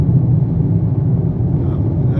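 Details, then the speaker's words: 2023 Toyota Corolla with 2,500 km, on its first highway trip after 400 km of driving, recorded in the cabin. A loud, constant deep drone and tyre-on-asphalt rumble, with poor acoustic insulation. Excessive cabin road noise. "Mas fui surpreendido com esse barulho interno. Você ouve o pneu no asfalto, carro realmente muito barulhento internamente."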